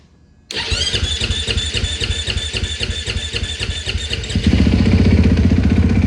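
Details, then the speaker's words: 2020 Husqvarna FC450 after an in-tank fuel pump replacement, air purged from the line: it fires instantly into a steady, even thumping idle with the fuel pump audible and no leaks. Starts and runs normally. "Got some air out of the line. Fires right up. There's no spraying coming out of the tank. Oh yeah, I hear that fuel pump. It's working, man."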